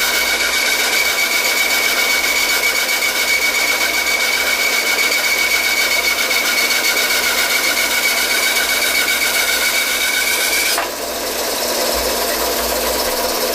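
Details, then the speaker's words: Homemade wooden bandsaw built from 1x4 pine with a cheap blade bent by feeding too fast, then straightened: loud hissing run with a steady high whistle and rapid ticking about four per second as the bent blade slaps. "I just jammed it into the blade and the blade got bent I screwed it up and so I tried to strain it out as best I could but now the blade makes quite a bit of noise"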